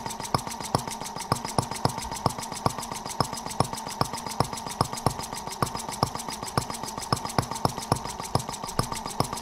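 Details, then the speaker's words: Microcosm R18 model engine, patterned on 1886 Benz Motorwagen engine, first run after tweaking: slow even pops about 2.5 per second over faint hum, running on its own, very smooth with virtually no vibration; slide valve must stay lubricated or vacuum leaks. "Amazingly smooth. I mean, super smooth running. I mean, virtually no vibration at all."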